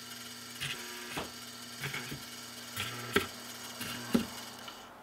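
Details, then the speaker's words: Serviced vintage, likely 1940s–50s Rittenhouse 8-note long tube door chime, motor-driven drum tabs switching solenoids, slow soft ringing strikes about once a second with faint solenoid clicks; normal operation. "number one is going to be held closed and then each time a tab hits another switch the solenoid will be energized and if you listen really carefully and i'm going to try to be really quiet you might hear the solenoids actually activating as they are energized"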